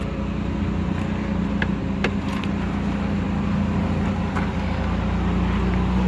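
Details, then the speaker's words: 1985 Pontiac Firebird, sat for a couple of years, new battery, cold idle recorded outside at the exhaust; steady, deep burble, even beat, not hunting between RPMs as it usually does; no misfire; healthy. "Sounds pretty good. It's actually not fluctuating between RPMs a whole lot today. Up here, nice and quiet. Can't barely hear it."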